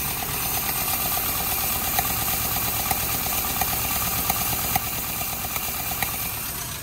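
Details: Suzuki Samurai under rebuild, new fuel pump fitted, ignition just connected: on starting it runs rough with an uneven, lumpy idle and light, quick ticking, attributed to the rocker arms not yet being adjusted.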